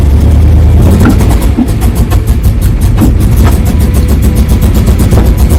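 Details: 1995 Chevrolet Camaro Z28 with LT1 V8: loud V8 with a ragged, irregular exhaust beat that stumbles and falls flat when revved; misfire and bogging, cause unknown.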